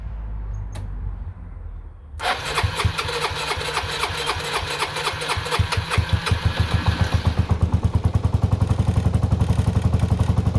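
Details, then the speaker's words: Suzuki Burgman 125 scooter, first start after fitting the belt pulley and clutch bell: starter whirs, engine catches into a steady, even idle with no knocks; sound differs from before, rear wheel turns so the belt is seated; carburettor still to adjust. "Bon, ça a démarré, nickel. Ça tourne bien. Il n'y a pas de bruit suspect."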